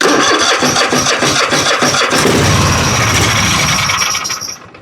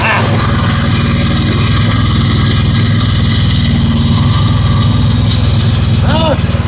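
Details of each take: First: Husqvarna riding mower, Kohler 7000 series engine with new carburetor and starter: catches on a primer spray, runs rough and loud about four seconds, then dies; fuel starvation from a fuel flow issue at the tank. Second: Husqvarna riding mower with Kohler 7000 series engine, no-start with new starter and carburetor; small single-cylinder engine catches and keeps a steady, even low putter about four beats a second. Suspected fuel flow issue at the tank, trash suspected.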